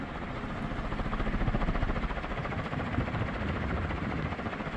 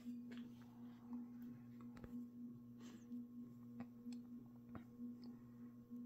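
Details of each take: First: Second mid-to-late 1980s 56-inch industrial ceiling fan (possibly HRS), cast iron motor, run straight at high speed: soft even whooshing pulse, no clunks or 60-cycle hum; normal smooth running, no loose bearing. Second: Mid-to-late-1980s 56-inch industrial ceiling fan, possibly HRS, with a cast-iron motor, rebuilt with new bearings after being locked up; a steady 60-cycle buzz with occasional dull clunks, which the owner suspects comes from a loose fit of the top motor half in the bearing.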